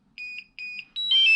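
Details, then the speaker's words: Mavic Air drone controller gives two short high beeps, then a brighter rising chirp sequence: low battery warning from a worn-out controller battery that won't charge; fixed by replacing the battery. "if i start it up it just beeps the low battery warning"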